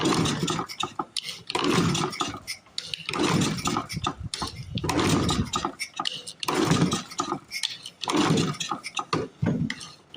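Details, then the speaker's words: Flooded 1930s Briggs and Stratton Model Y single-cylinder engine, about 90 years old, rough shape: short sputtering bursts about every two seconds that catch briefly and die; too much fuel, won't start. "as you can see it sucks it certainly does suck I think they're flooded I think I flooded it oh yep we're flooded"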